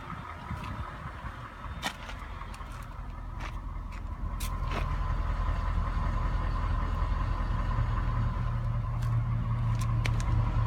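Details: 2007 Cadillac STS with 200,000 km, warm and idling, Mobil 5W-30 full synthetic: light, fairly regular ticking about three to four per second over a steady hum. No sound when cold, and it doesn't burn oil. Owner suspects a lifter.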